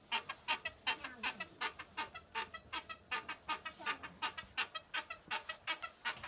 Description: I was able to pinpoint the creaking from a weld imperfection in the rear of the bike (rear stabilizer).